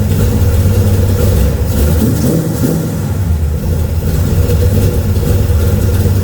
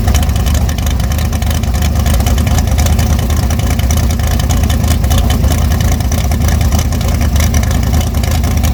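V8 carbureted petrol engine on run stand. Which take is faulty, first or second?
second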